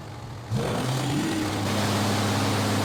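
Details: 2005 Dodge Ram 3500 5.9 Cummins after replacing seized water pump, belt tensioner and fan belt: diesel fires on first crank and settles to a smooth, even idle with no squeal or knock; running normally.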